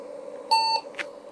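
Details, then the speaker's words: IBM PC-XT 5160 suspect CPU tested in a known-good IBM 5150 board; one short clean POST beep then quiet hum, cursor blinks, 301 keyboard error: CPU good, boots OK. "Oh, there it is. It's actually booting. I can see the the cursor is blinking."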